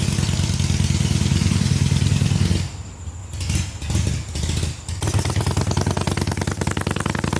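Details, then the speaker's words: 1985 Harley-Davidson Ironhead Sportster on a road test ride, with a rear cylinder leak and hard shifting; chug pulls away, dips at shifts and slowing, picks back up evenly, runs pretty good though not perfect. "yeah it runs pretty good it's not perfect uh goes up and down the road it stops it shifts"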